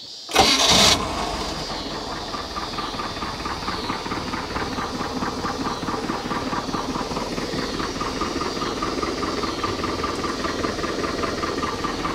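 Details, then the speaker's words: 1968 Starcraft Islander boat, Mercruiser 120 hp four-cylinder, after new water pump, timing cover, PerTronix electronic ignition, plugs and wires with timing set: fires first crank, even smooth idle, no misses or knocks; started a little hard the first time. "kicks right off and runs beautiful it ran a little started a little hard the first time i started it"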